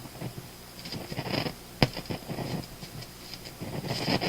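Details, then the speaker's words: Electrohome Kalmar console stereo receiver, control rotated without knobs: irregular crackling and scratching bursts with quiet gaps. Suspected DC through the control plus dirt, possibly a leaky capacitor. Scratchy potentiometer noise. "As I rotate this control here. That sounds like DC going through the control. That's what that sounds like. And dirt."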